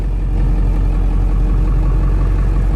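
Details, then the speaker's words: Ford Bronco with 7.3 Powerstroke diesel after fitting a Jones Turbine JT50 muffler, heard from inside the cab: deep, steady diesel rumble, low and smooth with no drone or rasp; muffled exhaust sounds healthy. "i think it sounds pretty damn good"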